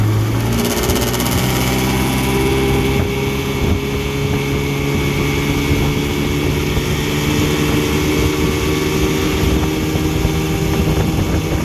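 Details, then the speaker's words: 1959 Evinrude Golden Jubilee Sportwin 10hp outboard with a fresh water pump, good clutch dog, ignition tune-up, rebuilt carburetor and a rebuilt 1954 Johnson CD gear case, test-run to check the powerhead: smooth, even buzz at steady speed, no misfires or knocks. "so we're just out giving it a run to see if the power head is doing okay now so let's fire it up and give it a run see how it does"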